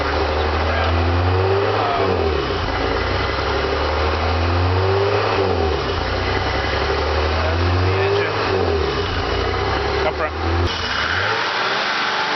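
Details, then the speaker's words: 1987 BMW 325e, running extremely rich, bad muffler: with no throttle input the high idle, around 2500 rpm, swells and sags in a repeating cycle about every three seconds. The engine is hunting at idle; cause unconfirmed. "So then it's going to do the same thing where it goes up, comes down, up, down. And it'll do that no matter what."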